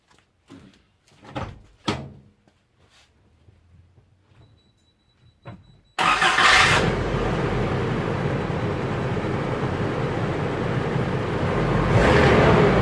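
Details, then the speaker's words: 1986 Isuzu Trooper with a used junkyard engine (known only to run) cranks after some handling clicks, catches cleanly and settles into a steady, even idle with no knocks or misses; normal start and idle. "This is a running, driving truck that sounds really good, despite the fact that I bought a used motor out of a junkyard in Cumming, Georgia, without really knowing anything about it other than it ran."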